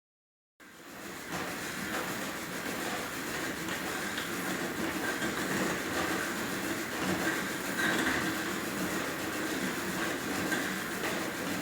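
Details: Merax elliptical bike, very noisy after one week of use: a steady rattling drone with a repeating clack every couple of seconds during use.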